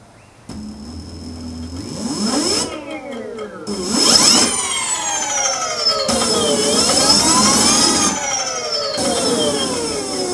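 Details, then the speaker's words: QS outrunner motor after rewind and hall wire resequencing, Kelly controller: smooth electric whine climbing and falling evenly with throttle, no grating or stutter, 1300 rpm at full throttle (was rough at 2200); normal running. "the first combination that came to it works perfectly and it also spins at 1300 rpm now and but it sounds a lot smoother listen to this"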